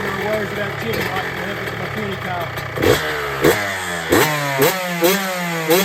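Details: Cold start of a 2006 Honda CR125R two-stroke after full ground-up OEM rebuild with OEM crank, new OEM top end at 25 hrs and new SKF seals: crisp idle with sharp throttle blips rising and falling cleanly about once a second; runs healthy.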